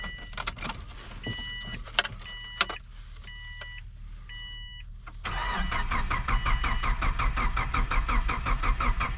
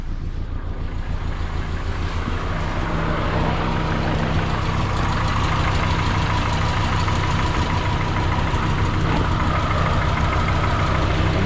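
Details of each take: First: Freshly installed 2003 Subaru Forester engine with new oil and filters, ignition unplugged, cranking in cold weather to build oil pressure: steady even cranking pulses about eighty per minute, no skips; normal compression. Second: Freshly installed 2003 Subaru Forester engine on first start, run briefly with no coolant, check engine light on and a vacuum leak expected: low idle with an uneven, wavering beat of about three pulses a second; rough idle, cause unconfirmed.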